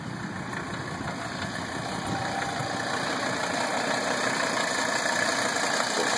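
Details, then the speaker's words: 1980 Mercedes 300SD diesel, running after engine reinstall: steady idle with a lighter, even clatter of about three knocks a second, still some white smoke. Timing may be adjusted further. "It no longer sounds like a tractor."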